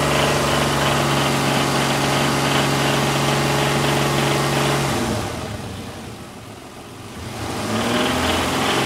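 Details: Isuzu 6VE1 V6 petrol engine with 82,000 mileage idling with a steady, regular knock about three beats per second over the running note.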